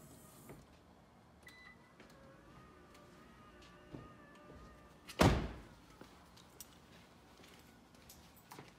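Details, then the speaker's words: 2013 Lexus RX350 with 156,000 miles, after the power liftgate motor actuator was replaced (before, it gave a long beep and no movement): a steady motor hum, then the gate latches with a solid thunk. Normal operation. "sweet that works and that is how you change the motor on your car"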